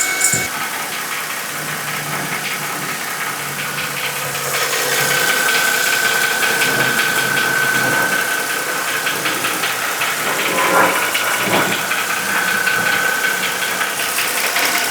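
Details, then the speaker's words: Mercedes M272 petrol V6 at warm idle, hot, on old oil before a change to thicker 5W-50: steady light knock about two to three per second, the known M272 idle knock; lifter tick suspected, not confirmed. "So hopefully during that you could hear that knocking noise that I'm talking about."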